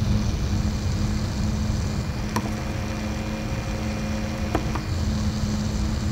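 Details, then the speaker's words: APC Back-UPS 1600VA 900W (BX1600MI) after replacing its loud stock ADDA fan with a Noctua NF-A6x25: low, steady airflow rumble with a faint even hum, much quieter than the original fan; normal quiet fan operation. "Much much much much more quieter."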